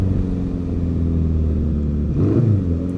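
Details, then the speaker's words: 1955 Ariel Square Four being ridden with a known stumble or misfire: the deep note pulls up steadily as the throttle opens and smooths out as the engine "clears its throat", then goes really well. "listen to this when it does oh when it does uh clear its throat it goes really well"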